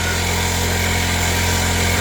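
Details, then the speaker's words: MVP 49cc Chinese scooter, new carburetor, unrun maybe six months, left idling to charge the battery: even, slightly fast buzzing idle with no hunting or misfires; starts and runs, not yet tested under load. "I don't know. Is it fixed? I don't know. It's different. It's It's running. It starts. It runs."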